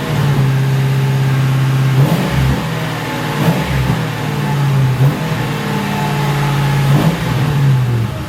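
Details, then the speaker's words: 2006 Ford Crown Victoria P-71 V8 with stock mufflers, before muffler modification, revved while parked, heard from behind: deep burble rising and falling through several smooth, even blips; normal exhaust revving. "Okay, this is going to be the before muffler mod sound of the car. So I'm going to jump in there, rev the thing up, and you get to hear that."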